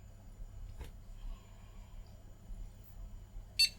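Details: Circa-1998 AT motherboard (Intel 133 MHz, 32 MB DIMM) found in a car-boot PC case, booting with a graphics card fitted: a single short, high beep over quiet room hum, the normal one-beep POST pass.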